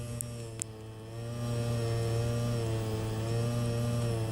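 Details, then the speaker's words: Peugeot 206 at normal idle: steady low drone with faint quick pulsing about three to four per second; owner suspects noisy fuel pump, alongside flickering lights; several mechanics couldn't find the cause. "esta bomba ritmo não vai dar problema mas o barulho incomoda demais e eu gostaria de saber que é assim já teve um problema parecido"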